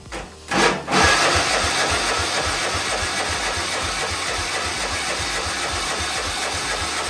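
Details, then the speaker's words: John Deere 111 mower after its blown engine was swapped for a replacement, cranked on jumper cables: starter turns the engine at a steady chug, about two or three per second, but it never fires; no spark at the plug, possibly a mis-set coil gap. "So, let me just crank this thing over. No spark. That should have shocked me right there and it did not."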